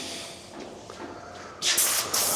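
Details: A6 airless sprayer set up for kitchen spraying, pressure around 1600 psi with a possible raise to about 1800: a steady high hiss in two sustained bursts with a quiet gap between; the spray is even, with no spitting or surging.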